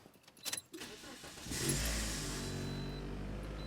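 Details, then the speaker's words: Toyota Matrix starting into a heavy, droning, rough idle that rattles the dashboard and shakes the seats but not the steering wheel; one bad engine mount, where it used to be smooth. "that hear that that rattling this rattling everything rattling and you can feel it in the seat you can't feel it in the steering wheel it just it's just rough it used to be smooth the real problem is the motor mounts are bad"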